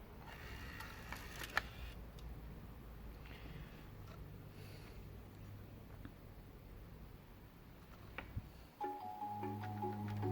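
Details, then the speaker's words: Bose AWRCC1 radio CD player after recapping boards to fix skipping and clicking, started cold: quiet spin-up without clicking, then steady music; disc reads normally. "reading. No more clicks."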